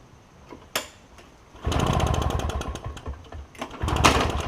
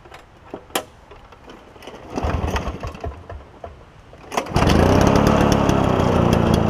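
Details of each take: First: Toro push mower with a two-stroke Suzuki engine, first start attempt, choked and pulled: it sputters in short uneven bursts that fade and pick up. A blockage remains, a partially blocked carburetor. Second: Toro push mower with a two-stroke engine believed Suzuki-made, first start after carburetor cleaning: catches and settles into a steady high buzzing run easing slightly in pitch; healthy running.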